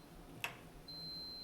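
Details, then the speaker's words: Gas stove burner knob pressed in to light: a single sharp igniter snap, then a faint steady gas hiss. Normal igniter clicking, ignition working. "And you're going to hear and smell a little gas. You hear the clicking? That means it's working."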